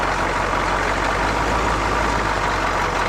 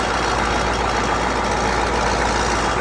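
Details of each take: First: GM 6.2/6.5 diesel (CUCV), warmed up with the fast idle solenoid now released. Smooth, steady idle; the earlier rattle is gone, and the engine did not die. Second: CUCV 6.2/6.5 diesel warm idle near 94° coolant after fast idle turns off: light uneven metallic rattle over clatter; owner suspects loose right-angle bracket at back of power steering pump to block.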